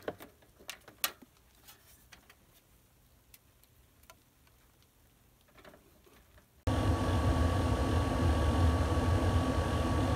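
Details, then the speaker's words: RV travel trailer heater blower motor after repairing a bad squeak: a few light ticks, then the fan kicks in with a steady, even rush and no squeak. Normal blower running. "right so here's the heater going this is actually my second trip up here as I repaired it"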